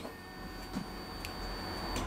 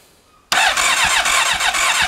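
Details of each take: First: Honda CB1300 motorcycle after rebuild, not starting, kill switch on: steady high-pitched electric hum as fuel pump primes normally, coils receive power; ignition switch, kill switch and bank angle sensor ruled out, suspect pickup sensors or ignition. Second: Rebuilt Honda CB1300 cranks steadily at about three beats a second but never fires; no spark, though the fuel pump primes and the plug smells of fuel. Coil and pickup connectors were checked and are plugged in.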